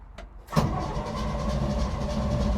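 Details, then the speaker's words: 1955 Chevy dump-bed truck, sat 23 years, key test after the new gauge cluster was hooked up: a click, then low, even, steady starter cranking, power flowing; normal starter cranking, before any fuel is fed. "All right, so she's turning over. That means power is flowing through here."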